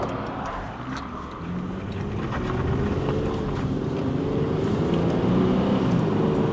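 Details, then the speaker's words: Infiniti G37 VQ37 after a DIY rebuild for spun bearings, on a test-drive pull with the window down: strong, even pull with the engine note climbing smoothly under load, no knocking or ticking over road noise; working engine, normal acceleration. "Sounds pretty good to me if I don't say so myself. I would say that's a working engine."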